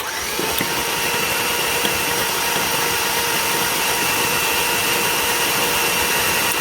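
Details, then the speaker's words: 2003 Chevy Silverado 5.3 V8 from a rollover, after a new starter, cranked with plugs out to flush oil: steady high whirring spin, no labouring or grinding, engine turning freely; normal cranking. "All right, that's good. Just wanted to flush out any oil and stuff that was in there."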